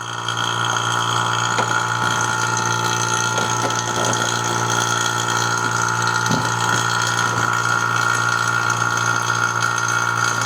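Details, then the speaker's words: BMW E30 R134a air conditioning service, vacuum pump connected through a manifold gauge set: a steady droning hum with a higher whine whose pitch changes as the valves open, the pump working normally while pulling vacuum toward 30 inHg. "If we want to pull vacuum there, we start opening this, and you can even hear the frequency of the pump change as I open these guys."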